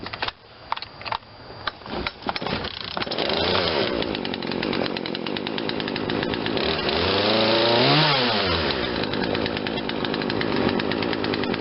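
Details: Poulan Wild Thing 40cc 2-stroke chainsaw after aftermarket carburetor replacement and quarter-turn mixture adjustment, started without choke: a few pulls, catches, steady idle, revs cleanly and returns smoothly; normal running after tuning.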